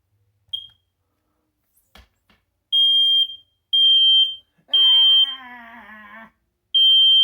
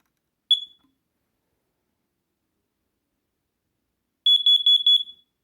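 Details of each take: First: Smoke alarm in the parents' bedroom, test button pressed: loud high-pitched beeps about once a second with one longer warbling burst; owner wonders if it sounded slightly weaker, though tone seems strong; possible weak sounder, unconfirmed. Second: Small home smoke alarm kept close by, during a round of smoke and CO alarm tests: single sharp high chirp, then a quick run of about six shrill pulses on test; the alarm works properly.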